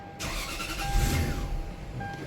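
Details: 2000 Lexus GS400 on crank-and-stall complaint, no check engine light, fuel pressure regulator and other parts already replaced: engine catches briefly then sags and dies within two seconds despite throttle; stalling traced to faulty, possibly aftermarket, mass airflow sensor.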